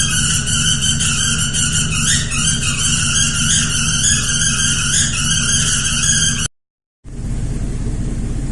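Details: 2001 GMC 5.3 V8 running with drive belt removed: loud, steady high-pitched squeal with misfire; exhaust escaping between manifold and cylinder head at broken manifold bolts, plus a plugged left-bank catalytic converter.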